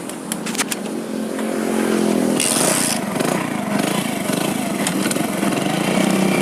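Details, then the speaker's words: Hero Splendor Plus after the primary gear was replaced. After a short start-up burst, the single settles into an even idle with no gear whine or rattle. The primary gear noise is gone, and the engine sounds quiet and normal. "तो गाइ आप सुन सकते हैं bike के अंदर बिल्कुल भी sound नहीं है तो यही प्रॉब्लम था इस बाइक के अंदर"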